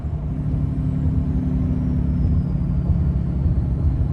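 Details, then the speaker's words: Ram 6.7L Cummins diesel, turbo rebuilt with Amazon parts ~1 year/30,000 miles ago, towing empty trailer at speed: deep, steady low rumble as turbo exhaust brake slows truck rapidly, no rattles or hiss; working normally. "And as you see there, it slows down rapidly by itself. We're going down a hill here, and we'll show you how quickly it slows down. You hear that turbo brake hitting real hard now."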